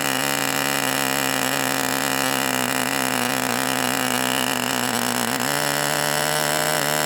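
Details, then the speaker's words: Enya 40 TV Model 6002 glow engine, hot, during break-in heat cycles, needle richened one click: high buzzing note wavering with a burbling edge, pitch periodically trying to go two-stroke; rich four-stroking. "e and keeping it at that burbling four stroke period. And you could kind of hear it want to go to two-stroke mode where it kind of go you you could hear the pitch change periodically."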